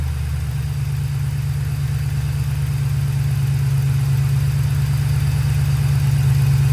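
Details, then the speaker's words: 2002 Ford Mustang GT 4.6L 2V at idle: quick light tick keeping pace with the engine, about three a second, gone once throttle is applied; at first suspected to be a spark plug leaking compression. "And from the video that y'all just watched, you could hear the engine ticking pretty good at idle. But the second you give it gas, that tick goes away."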